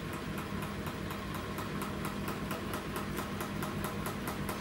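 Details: New Samsung WW10N645RBW washing machine (November 2018), first use after leveling the legs, spin rated 73 dB: even rhythmic drum swish about five beats a second over a steady hum; spin starting normally.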